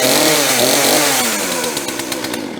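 Two-stroke fires and buzzes briefly, then sputters and dies down within three seconds; saw is catching on fuel after the line work.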